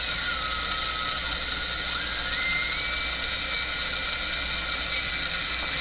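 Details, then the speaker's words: Westinghouse 5T121R-2 clock radio during IF adjustment: over steady hiss a thin whistle slides up and down as the adjustment is varied, heterodyne from a second signal in the IF. "So, do you hear there's a heterodyne? As I vary this, you hear the heterodyne go up and down."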